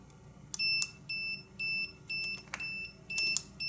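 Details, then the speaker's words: Conductance battery tester clamped to a new battery in a new car at about 60 degrees: steady high-pitched beeps, about two a second, meaning the clamps lack a good connection. "all right it beeps like that it means it's not hooked up properly it's not got a good connection okay"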